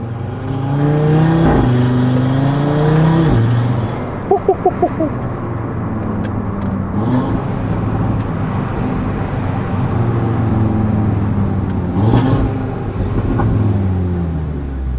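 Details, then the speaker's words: Audi A3 TDI converted to RS3 five-cylinder with sports downpipe, first test drive; smooth pull through revs, backs off and climbs again, even clean exhaust note, no knocks. Healthy engine and exhaust under acceleration. "Engine sounds sweet. Like just think this is a standard catback. I've only got a sports downpipe on so it's not too dissimilar to standard."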